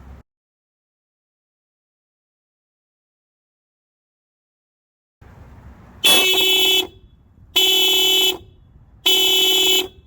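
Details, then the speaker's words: 10th-gen Honda Civic stock horn, replugged for comparison after aftermarket horn install: three short, thin, high-pitched honks over quiet street; works normally but sounds wimpy versus the aftermarket horn. "So a huge difference when comparing these two horns. Obviously I like this one better. The stock Meep Meep just sounds too wimpy, and it just sounds like the, what is it, the Roadrunner from Bugs Bunny or Looney Tunes."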